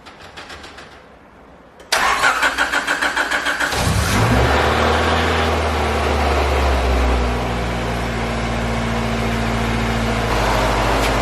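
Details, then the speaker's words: Honda B16A with a fresh set of injectors, first start after priming the fuel system; starter cranks about two seconds, engine catches cleanly and settles into a steady, even idle, running where it should after fuel pressure was raised. "success everyone success she's running i crank the fuel pressure up so now it's running where it should be"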